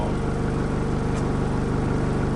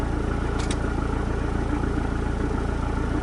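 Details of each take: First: Rebuilt diesel truck just started after 8–9 weeks of work: deep even chug at idle, steady low pulse, no knocks or misses, quite grunty; normal idle. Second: Rebuilt diesel truck after 8–9 weeks of work; first attempt failed: even starter churn about four beats a second, then catches and runs loud; extended cranking, slow start.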